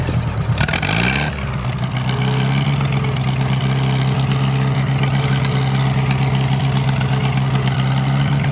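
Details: Minneapolis-Moline model BF tractor that had been sitting over a year, choke on, catches after a brief crank and settles into a steady, even low idle with no knocks or misses; runs real nice.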